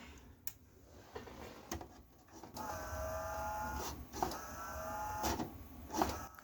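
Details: Emerson VCR765 (Orion-made, about 1990) playing a tape: faint whirring tone with irregular ticks; three drive belts found crusty, deck also struggles to eject; belts suspected, not confirmed.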